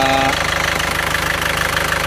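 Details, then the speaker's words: Isuzu Panther pickup diesel after engine repair for blow-by: even, smooth idle clatter with regular firing and no misses or heavy knock; no more thick smoke from dipstick or oil filler, only slight vapor when hot; fixed. "ini suaranya seperti ini. tetap halus rata. Oke, sudah sembuh ya."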